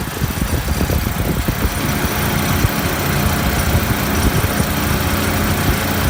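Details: Refrigeration compressor after condenser coil leak repair, steady low hum with rough shaky rumble, no knocking; vibrating, net oil pressure about 20 psi versus usual 30–40, headmaster not bypassing condenser suspected, cause not confirmed.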